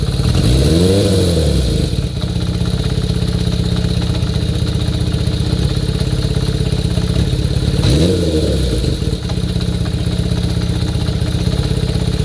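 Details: Kawasaki Zephyr 400 (ZR400C) after notch-type cam chain tensioner tightened about two notches: steady even idle, two quick rev blips falling back smoothly, no chain rattle; normal idle.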